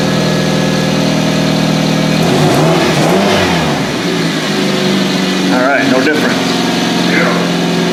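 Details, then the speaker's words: 2007 Hyundai Tucson at idle, in for check engine light with code P0102 MAF circuit low; loud raspy idle with uneven puffing tick, sounds like exhaust escaping from a broken flex pipe. Exhaust leak suspected. "Oh already giving me a bad taste in my mouth because you guys hear it I hear it sounds like it's got a broken flex pipe"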